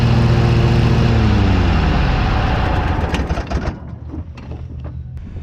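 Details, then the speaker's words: Cub Cadet GTX 2100 lawn tractor after replacing the broken front-drive PTO belt, with the blades heard turning: a steady, even, low engine drone with a smooth firing beat, then it winds down. Normal running. "it sounded like she's doing okay"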